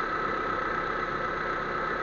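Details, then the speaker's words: Proton Waja MMC automatic idling steady but slightly high with a thin tone; thermostat removed so engine never reaches full heat, raising idle timing and fuel use; fix is refitting the standard 82°C thermostat; scanner showed no sensor faults. "wajah bi memang macam ni kena pakai kalau tak timing tinggiah timing tinggiah dia kacau lepas tu makan minyaklah tinggi makan minyak dia kena sampai cukup panas baru terus padulah"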